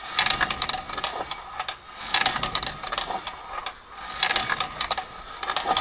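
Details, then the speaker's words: Rear drum brake on a vehicle, wheel and drum removed: handbrake shoe springs broken, linings worn and fallen loose, drum worn; metallic scraping rattle about every two seconds with wheel rotation; handbrake not working; broken handbrake shoe hardware. "разобрал стихов колесо снял барабан и вот что стало с пружинами которые держат сами колодки и диск"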